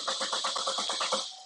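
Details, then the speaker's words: 2014 Chevrolet Cruze LT 1.4L turbo with intermittent stalling and no codes, starting fluid sprayed in: starter cranks in quick even pulses, about eight a second, but never catches; loss of ignition control suspected. Crank, no start. "all right she is still I crank no start her a little little Huffy Huffy maybe put they stuck up in there give her a little little something to Puff"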